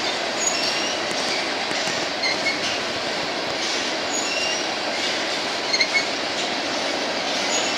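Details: BNSF empty grain train at sunset, headed to North Dakota for reload, led by two GE locomotives: steady roar of passing train with thin high squeals coming and going from a few wheels; cause not clear.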